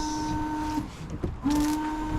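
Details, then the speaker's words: Range Rover Sport L320 washer system after fixing bottle and jets: small electric pump whirs with a steady high hum, drops out, then spins up again; front and rear washers working, broken pipe still to be sealed. "Not bad at all. Sorted. And the back one works well."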